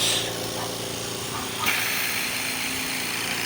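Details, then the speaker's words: Invacare Platinum 10 L oxygen concentrator after the noisy compressor was replaced with an original one: a smooth, even hum with a light airy hiss and no knock or rattle. Green light at 10 L/min with acceptable oxygen purity; normal compressor running. "se escucha bastante bien"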